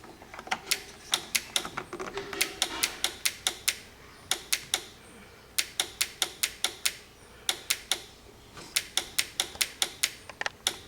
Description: Ticking sound, Horn Relay, RAV4 1997, 86530-20070.